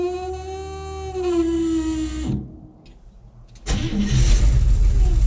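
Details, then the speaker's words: International 1210 with FiTech EFI swap, warming up: engine stumbles, dies, restarts and runs unevenly, run time getting shorter, fault codes 105, 74 and 36; caused by plugged fuel filter. "it was running and about the time it started to get warmed up it just started stumbling and dying started again run for a little bit stumble and die"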